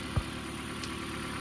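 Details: 2012 Toyota Prius after a head gasket job: steady, even, smooth idle with no rattle or misfire. The misfire "death rattle" was cured by re-gapping the spark plugs to 0.040 in.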